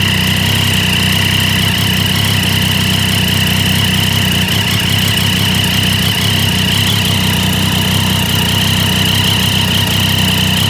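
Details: Triumph Daytona 675 at idle: a fast, uneven puffing tick riding over the engine note. An exhaust leak is suspected but not confirmed.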